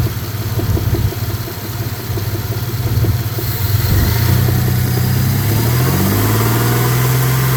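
Idle with a light, regular tapping over the low rumble, then the revs rise smoothly; a knock is present but its cause is unclear.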